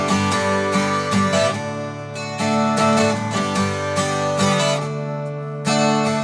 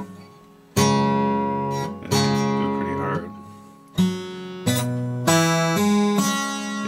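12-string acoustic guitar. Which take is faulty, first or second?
second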